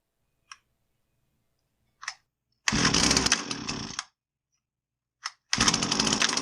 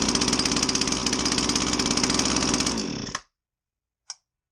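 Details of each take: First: Husqvarna 322R brush cutter after tune-up, previously bogging with no power after sitting: small two-stroke pulls a couple of times, catches, then holds a steady high buzzing run without stumbling, sounding healthy. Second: Husqvarna 322R brush cutter, unused for a while, fresh fuel possibly added on top of old fuel: rough, uneven two-stroke beat that sags and dies, bogging with no power; carb rebuild planned, cause unconfirmed.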